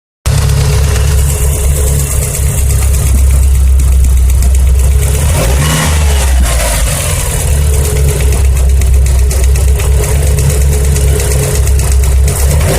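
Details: Mitsubishi Evo 4G63 engine: light, quick ticking over the engine through a rev and back to idle, following engine speed; valvetrain tapping from cylinder 1 intake side.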